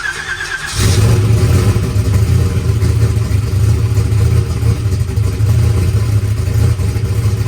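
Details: All-aluminum small-block Chevy race car, freshly buttoned up, mixture leaned out slightly, 20W50 oil: catches and settles into a steady deep lope, even firing, no knocks or ticks; sounds clean, though oil pressure issues were then noticed.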